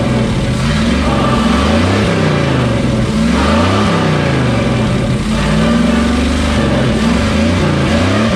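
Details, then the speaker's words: Square-body Chevy Suburban V8 running on a known-good carburetor after plugging forgotten vacuum ports: revs rise and fall cleanly with even firing, no misses; idle circuit could use work, probably carburetor; normal running. "I got the thing to fire off and it sounds like it's running pretty good I mean could use some work in the idle circuit but that's probably the carburetor"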